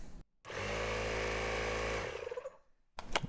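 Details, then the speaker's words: Campbell Hausfeld 2-gallon air compressor that wouldn't start: after the faulty switch was repaired, the motor hums steadily for about a second, then spins down smoothly. It now runs normally. "and there it is all right so there's how we fixed my air compressor but yours may not have the switch as the problem"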